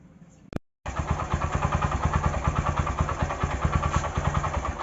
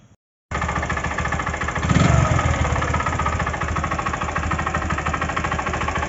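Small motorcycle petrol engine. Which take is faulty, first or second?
second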